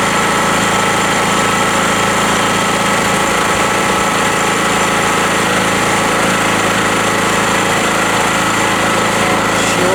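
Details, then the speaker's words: Rotakt generator, hot and started without choke, with an 1800 W Bosch electric chainsaw plugged in via extension cord: steady, even drone holding one pitch for ten seconds with no surging or hunting, running normally. "so it works really well the generator this chainsaw has 1800w and it works very well"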